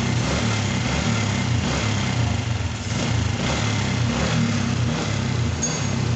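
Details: Honda Supra Helm-in FI single after replacing a timing chain worn past 30,000 km and 2-3 years: a steady, even idle with a smooth low thrum and no timing-side rattle. Healthy idle.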